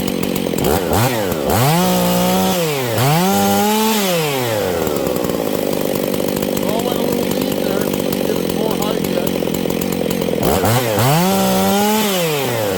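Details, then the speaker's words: Husqvarna 272/268/266/61-chassis chainsaw at full throttle: thin, rising overrevving wail, running super lean even with high jet turned out; crankshaft seal air leak behind the oil pump, confirmed by brake-clean spray killing it. "okay friends we have a hijet issue did you guys hear that this thing is going super lean"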